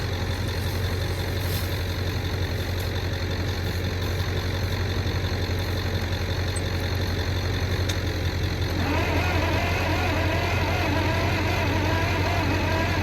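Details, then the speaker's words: Michigan 35A wheel loader, Continental six-cylinder gas engine, sat for years, tried with starting fluid: the starter churns steadily but the engine never catches. Bugs were found packed inside the distributor. "put that on a list of things I've never seen that's all little bugs of some sort that somehow got into the [Music] distributor"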